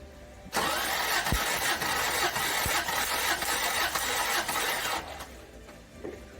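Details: 1990 Toyota 4Runner 22RE compression test on cylinder one, after head and cam replacement and cam break-in: starter spins the engine in an even, steady churn for about four seconds with no stumbles or knocks; readings within spec. Normal compression test cranking.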